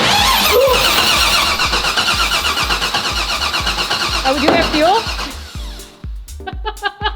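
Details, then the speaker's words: Salvaged junkyard 6.0L iron-block V8 swapped into a G-body, first crank on the starter before fixing an over-pressured fuel system: turns evenly at about three compressions a second, no clunks or scraping; healthy cranking. "before we fix the fuel issue we're gonna see if we can crank her and make sure there's no bad noises"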